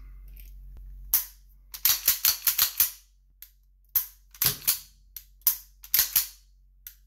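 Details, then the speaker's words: Tisas 1911 Carry DS pistol trigger after the overtravel screw was backed out about a turn: crisp metallic clicks, each pull followed by a clean reset click; the reset failure is gone. "hey it's gone I'll uh adjust my overtravel screw back in a little bit"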